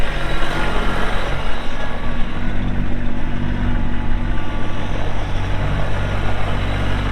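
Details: 2022 Kubota LX2610SU 4WD hydrostatic compact tractor with LA535 front loader, 138 hours, running; steady low diesel drone with even firing, no knocks or rattles. Normal running.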